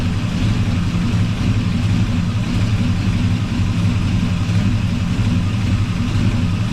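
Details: 1984 Chevy truck with a swapped 454 Gen 6 7.4L V8, still cold: deep, even idle with a steady low rumble and no knocks or misses. Normal idle.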